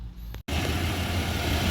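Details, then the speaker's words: 1993 GMC 1500 truck idling after new serpentine belt fitted: steady low rumble, belt quiet with no squeal after months of squeaking. "No more squeaking. >> Yeah, I was hearing that squeaking. I don't hear no squeaking no more."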